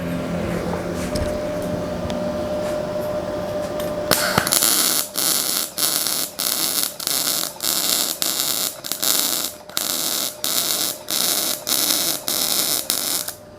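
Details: Ramco 120 A MIG welder, faster travel pass: steady crackling arc hiss in short even bursts about every 1.5 seconds, clean stable weld with bright clean bead.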